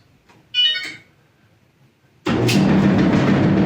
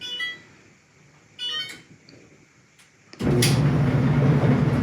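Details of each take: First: Electrolux front-load dryer: a beep, then a heavy, rapid thumping rumble from the drum at startup, which began suddenly with a load in it; something stuck in the motor or rollers is suspected, not confirmed. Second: Electrolux front-load clothes dryer after the front was removed and reassembled to cure a loud rumbling, as if shoes were tumbling: two control beeps, then a smooth, even low rumble with no thumping; normal operation.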